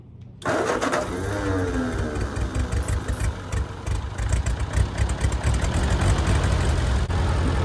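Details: 1946 Ford 2N tractor needing piston rings, oil coming out at a spark plug: cranks, catches and settles into a loose, uneven chuff with a lumpy beat; tired engine burning oil, rough running.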